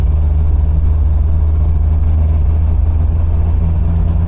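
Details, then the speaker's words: 1980 MGB on its first proper drive after front suspension, crossmember and brake overhaul and an engine tune-up: low, even engine drone with steady beat and road rumble while cruising; engine sounds much happier, a few adjustments still needed; normal engine running. "no it's not perfect there's still a few few little kind of adjustments that have to be made but the fundamentals are right now you know which is more than I could say the last time um but the engine sounds an awful lot happier"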